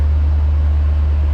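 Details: 1966 Ford Thunderbird, 390 big-block V8, revived after sitting a year, distributor worn and wobbling: deep, constant low hum without rhythmic tapping or stumbling. V8 runs evenly at idle; normal running.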